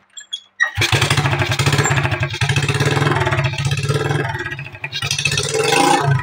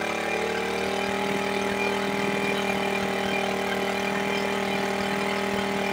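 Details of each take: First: Smash 110 before carburetor adjustment: fires, revs briefly, then beats slow, turn ragged and die after a few seconds, won't hold idle; engine stalls at idle. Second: Suzuki Smash 110 carbureted single-cylinder bike after idle/carburetor adjustment for a no-idle problem: ticks over evenly at a steady idle with no hunting or stumbling, no longer stalling as before; normal idle.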